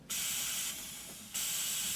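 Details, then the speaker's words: Sharp, high, steady air hiss from a tractor protection valve pushed in halfway that dips briefly then returns full and won't stay in; valve installed backwards and leaking air, fixed by switching the face cover. "if it sounds like that and it won't stay in in then the valve was put in backwards"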